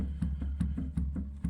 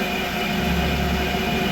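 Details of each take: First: Creworks 8x16 lathe carriage before adjustment: sharp knocks about every third of a second as the carriage is rocked by hand. The three gib screws underneath are loose, one completely, letting the carriage clunk with play. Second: Creworks 8x16 lathe after carriage adjustment to remove carriage play. It runs steady with an even motor hum and a smooth, quiet cut, with no chatter or knocking. The carriage sounds tight, more rigid than before, and is healthy.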